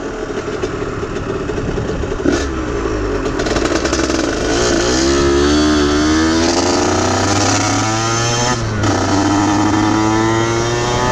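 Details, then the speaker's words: Aprilia RS50 frame with YZ85 two-stroke engine, after fitting oil-soaked clutch plates: revs climb briefly, then break into burbling, uneven chugging as throttle opens, bogging under load; cause unknown, owner suspects tuning. "i took it out on the street as soon as i hit it just it just died immediately just bogged just right off the bat"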